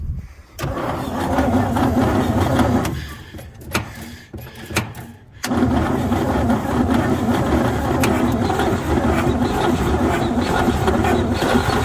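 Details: 1949 Chevy truck, first cold start attempt after sitting 24 years, gas can fed, jump box connected, points may need filing: uneven bursts of starter cranking with short pauses, never catches; cranks, won't start.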